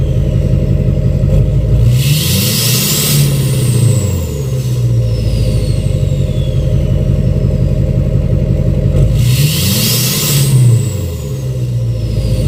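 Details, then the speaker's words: 2006 Chevy Silverado LBZ Duramax diesel, revved in neutral with new 5-inch straight pipe, flow-through muffler and DSP5 tune; two clean blips, each with rising turbo whistle fading as revs drop; normal revving with turbo spool. "I'm going to do some neutral revs right now. I'm going to rev it up in neutral so you can hear the turbo spool up."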